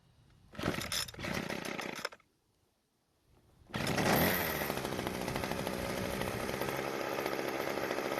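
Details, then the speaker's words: Weed Eater hedge trimmer after a new primer bulb, with brittle fuel lines and a leak found: two pulls, then it fires and holds a smooth, even high buzz without stumbling; running properly. "so it seems to be working just fine now but it could have been much worse"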